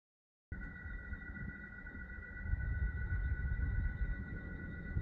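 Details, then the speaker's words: AC fan motor ZWR50-F / FN60B-ZL, used in Gree and Alpicair units, 3 years old with only occasional use: constant high whine of two close tones over a low uneven rumble that never lets up; worn fan motor bearings, fixed by bearing replacement. "bearing failures appear to be very common in this this unit is only 3 years old and has been used only occasionally so let's fix this noise issue"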